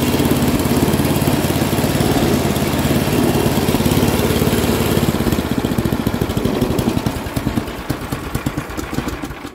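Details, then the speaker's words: Free Craftsman 10/30 snowblower with a 10 hp Tecumseh engine, first start before parting out: the single cylinder fires strong and even at full speed, then slows to separate chugs at shutdown; sounds healthy. "definitely not bad i was actually about to let off on the button there"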